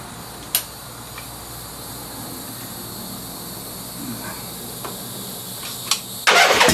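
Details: 1976 Harley-Davidson Ironhead Sportster after static timing was reset (advanced) with new points and condenser: plugs in, neutral, battery charged, mixture screws out about 1¾ turns. Near silence with a few light clicks, then it catches suddenly and runs loud and steady; normal start.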